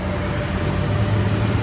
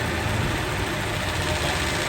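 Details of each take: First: Toyota Revo at idle with AC on, after oil was added to the noisy AC compressor instead of replacing it: a smooth, steady hum with no rattle or whine. The compressor noise is gone. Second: Toyota Revo, engine idling with AC on: harsh, gritty mechanical churning from inside the AC compressor, which is low on oil; noisy compressor.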